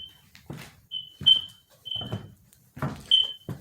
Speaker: okay you hear it beeping because it's letting me know that i have to put the battery in but i'm not going to put the battery in until after the paint job